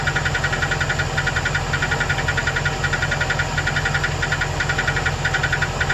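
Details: 2008 Chevrolet Express 2500 4.8L V8: steady idle with a sharp regular tick about three per second that goes away when rpm is raised; owner suspected a collapsed lifter on cylinder #8 but is unsure, cause unconfirmed.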